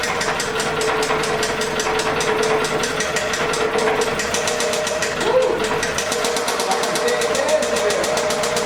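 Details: 2006 Toyota Camry 2.4L: sharp, fast metallic knock about seven a second, steady at idle and loud over the engine; badly knocking engine being replaced, shut off to avoid locking up.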